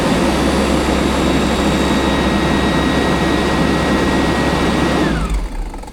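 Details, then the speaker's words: LMTV military truck cab heater blower at full speed after cleaning with an air nozzle: even high-speed roar with faint rough flutter, then spin-down; leftover debris still rattling in the squirrel cage. "That squirrel cage definitely has some stuff in it still, but I don't want to take all this apart to try and get all the stuff out."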